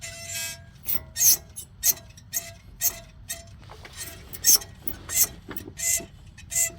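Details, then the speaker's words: Front wheel of a car spun slowly by hand with the tire off gives short bursts of high, scratchy squeal; the pads are worn rather low and the wear indicator is thought to rub the rotor; pads to be replaced. "They're down rather low. But I'm thinking that's the indicator that's making all that noise cuz you see it still got a little meat on this side."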